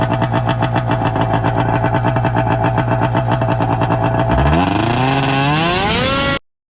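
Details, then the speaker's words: 1996–97 Arctic Cat ZR 580 EFI two-stroke snowmobile with a new stator: a choppy idle, then revs climb slowly and unevenly and it bogs, losing fuel pressure under throttle. Regulator or fuel pump suspected; not confirmed. "so it still doesn't want to take Full Throttle uh we're still losing fuel pressure when you give it throttle"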